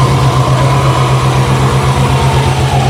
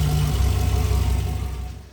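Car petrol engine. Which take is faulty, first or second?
first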